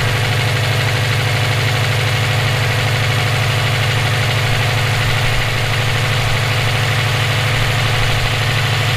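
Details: EJ257 at idle: a regular light knock, roughly three per second and tied to engine speed, rides over the idle, present for about 17k miles since purchase; owner suspects rod knock, a spun bearing or valve lash. Bearing or valvetrain, unclear.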